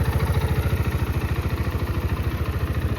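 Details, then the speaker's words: GPX Raptor 180, 2021, about 8,000 km, stock exhaust, started first try: crisp regular idle beat about twelve pulses a second, even and steady with no clatter; engine quiet, no vibration, normal idle. "เดี๋ยวผมสตาร์ทเครื่องให้ฟังนะครับทีเดียวติดนะครับเสียงเครื่องเงียบนะครับผมไม่มีสั่น"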